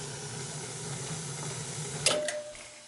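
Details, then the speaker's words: Gas boiler with no-heat complaint, damper locked open manually: steady burner roar and hiss, then a click and flame noise drops to near silence as boiler shuts off untouched; cause unclear, damper, thermostat or programmable thermostat suspected. "she just shut off all right she shut off yeah i didn't touch it"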